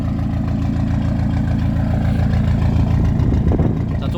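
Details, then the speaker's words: Diesel idling just after synchronisation, engine not yet very hot: even, steady clatter with a firm low rumble, no misses or knocks, zero smoke. Owner says it drives far better now. "ça fume pas zéro fumé et encore là les pas très chaud la voit untit mais est nickel s bien ça plus rien à voir quand je roule c'est le top"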